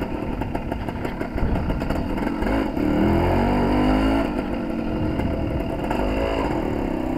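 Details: Suzuki TS185 two-stroke road test after main jet change and needle clip moved to middle: crisp revs climb cleanly through midrange without the earlier 3-4 grand burble, road wind behind; much better, carburation close to right.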